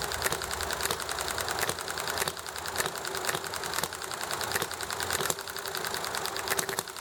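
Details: Enjomor small hit-and-miss engine running nicely: sharp single firing pops spaced by quiet coasting gaps, about one bang every half second, over background chatting and highway traffic; normal hit-and-miss running.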